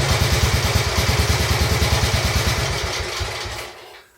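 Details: Royal Enfield Bullet 350 Classic, first start after partial seizure repair: cylinder honed, new rings, decoked, carb cleaned: thumping about three beats a second, a little uneven on choke, then dying away; engine dislikes choke; normal running.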